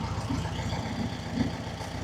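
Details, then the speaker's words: 1967 VW Beetle, air-cooled flat-four, back running after 46 years in a barn, with electronic ignition, tune set and stabilized, exhaust burning in, timing about 5–7° advance: steady, even low putter at idle with no misses or knocks. Normal. "it's running. I don't know if I call it a Swiss watch, but it's um it's running like a European watch."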